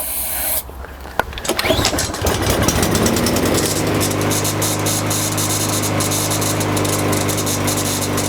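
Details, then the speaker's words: Single-cylinder lawnmower that only runs on quick-start spray in the carburetor: fires after spray, runs rough and uneven, then dies; carburetor/fuel delivery issue. "So it does start, but it dies right away. So this is definitely a carb issue here."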